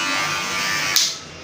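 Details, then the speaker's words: Barber hair clipper (Wahl Legend) after blade resharpening, cutting hair: bright high buzz, steady while cutting then easing off; after sharpening it runs quieter, lighter and cuts very sharp like a new blade. "Wih, ngeri banget. Tajamnya keren nih. Jadi kita lihat nih. Wih. Ngeri. Tajamnya ngeri nih."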